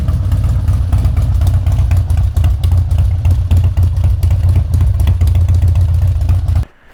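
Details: Harley-Davidson Twin Cam Dyna Glide (FXD), 39,000 miles, after a CV carb rebuild and intake reseal: a deep, loping V-twin idle that fires evenly without stumbling, then shuts off; it runs healthy.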